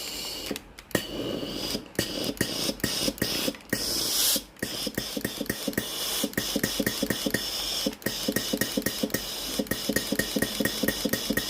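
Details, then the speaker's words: Philips PSG7014 steam iron, pressing water-dispense button: rapid even clicking of the water solenoid valve, then a bright steam hiss; the fault was no steam output, traced to a failed electro-valve with a broken coil. "ครับสังเกตนะครับเวลาเรากดปุ่มจ่ายน้ำนะครับจะได้ยินเสียงวาล์วน้ำทำงานนะครับเสียงดังแจ๊กๆนะครับ"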